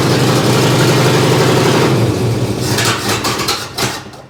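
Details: 1961 Chevy Apache truck parked 20 years in the desert, revived after reconnecting the dangling main power feed; catches quickly and runs with a loud, even exhaust beat, then settles smoothly as revs drop: normal start and idle.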